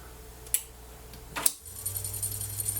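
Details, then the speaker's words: Harman Kardon hk300xm cassette deck, tape transport under repair for constant autostop: during rewind two sharp clicks then rewind motor hum; something in the transport appears dislodged, idler tires look fine, cause unclear. "do you hear this noise that's not good at all this clicking noises so you have to take a look what is that"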